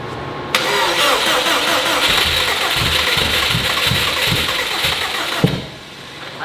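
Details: Subaru 2.5RS with STI turbo engine swap: about five seconds of fast steady cranking, catching faintly but never running, with injectors disabled; too much fuel suspected, base fuel table reduced.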